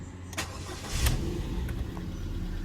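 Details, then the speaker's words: 2009 Ford Fiesta Zetec 1.2 petrol, about 47k miles, rear-end-damaged auction car: short crank catches within a second and settles to smooth low idle with no excess engine noises; normal start, though exhaust may be blowing slightly, possibly back box. "Well, she starts up fine. There's no excess noises from the engine."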